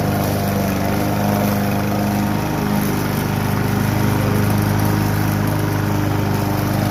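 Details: Kohler Courage XT-7 engine newly swapped onto a push mower deck, first start after the swap: a steady single-cylinder beat at an even governed speed with no misses or surging; running healthy.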